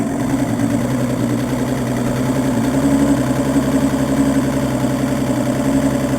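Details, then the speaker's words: Evinrude E200FP outboard that starts only with fuel poured into cylinders (EMM, capacitor, stator, plugs, starter already replaced): after priming, steady, even idle with smooth low hum, no stumbling; runs fine but hard-start fault remains. "Only with a bit of fuel, and it works perfect."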